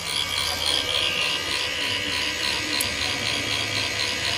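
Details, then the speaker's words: Rosen e-bike/scooter charger that came in dead, circuit on one side repaired, now working and connected to battery with current flowing: steady even airy whir from its small cooling fan, no rattle or ticking, sounds normal. "हाँ दोस्तों, देखिए ये finally charger okay हो गया है और आप देख पा रहे होंगे, यहाँ देखिए फ़ैन का भी आवाज़ सुन रहे होंगे।"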